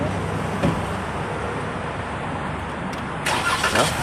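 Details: 2021 Ram 1500 after battery replacement for no-crank no-start complaint: steady, even engine hum with no misses or knocks; starts and idles normally.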